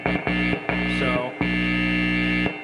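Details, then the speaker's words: 1980s Fender Concert (Rivera Concert II) tube amp after tune-up and fresh caps, brought in for noisy reverb: steady low mains hum with soft hiss, a few switching bumps, no crackle; remaining reverb noise judged not problematic. Normal amplifier hum and hiss. "like i say our reverb i don't consider that noise level at this point to be problematic"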